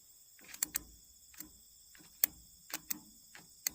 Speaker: So, now I'm going to check my brakes. And when I touch this, I should hear the magnets clicking back in the brakes.